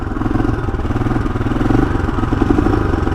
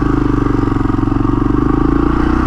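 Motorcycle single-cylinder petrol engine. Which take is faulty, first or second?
first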